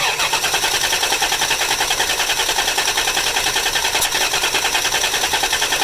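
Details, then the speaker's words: 1988 Dodge Dakota 3.9 V6, electric fuel pump replaced, after valve cover gaskets won't start; plugs fine, injectors clean but right injector dumps fuel: even cranking about six to seven pulses a second, never fires. "88 Dakota 3.9 V6 electric fuel pump replaced valve cover gaskets and now won't start spark plugs are fine injectors are clean but you can see the right injector dumps fuel"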